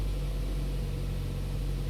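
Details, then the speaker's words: 2011 Holden Cruze 1.4 turbo, cold start: rough crank and idle with misfires, low steady rumble with an uneven beat; nearly 15 inches of vacuum at idle through the disconnected purge valve shows the evap purge valve is leaking and faulty. "we've got nearly 15 inches of vacuum at idle. So that purge valve's definitely no good."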